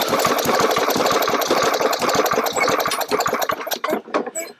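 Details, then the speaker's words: Push mower that sputtered, lost power and blew black smoke, then stalls and is hard to start: an uneven, stumbling putter that loses rhythm and fades as the engine dies with heavy black exhaust smoke. "your mower does this and just doesn't want to run but one thing you do notice your exhaust is blowing out a lot of black smoke like this"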